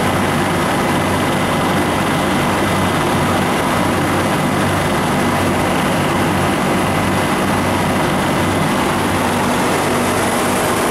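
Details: Refrigeration condensing unit on a milk tank, running on RS45 (R434A), after replacing an internally leaking liquid-line solenoid valve and liquid-line drier: steady compressor and fan drone, no knocks or rattles; running normally.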